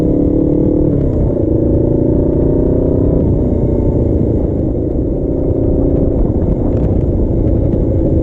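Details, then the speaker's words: Custom Suzuki GS450 scrambler on a warm-up ride, choke off: engine note sags and rumbles unevenly as if about to die each time the throttle closes. "so letting off the gas it's trying to die on me tipsy I know I haven't gone that far but it is trying to keep something fall on its face"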